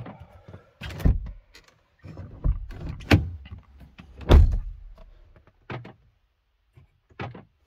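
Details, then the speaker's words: 2017 Skoda Kodiaq 1.4 TSI, new front right door lock 5TB837016C fitted, replacing one that unlocked itself with repeated tac-tac: crisp separate thunks of the lock cycling, no chatter, working properly. "On entend bien le mécanisme ici côté portière fonctionner."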